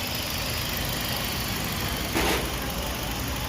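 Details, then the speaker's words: Toyota Vios 1NZ that shook and stumbled at idle and needed 2-3 cranks in the morning, after replacing the failed cylinder 1 ignition coil: idle holds steady and even with no stumbles, smooth hum with one brief swell; running cleanly. "ดูผลงานกันเครื่องนิ่งเลยนะยิ่งไม่ตัดแล้วนะครับ"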